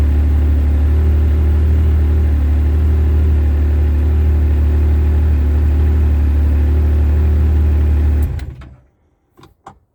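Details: Yamaha RMAX running on a new 250 CCA Acoucou sodium-ion battery, owner feels it starts quicker than stock: smooth, even low drone with a steady beat for eight seconds, winding down cleanly at shutoff; normal healthy running.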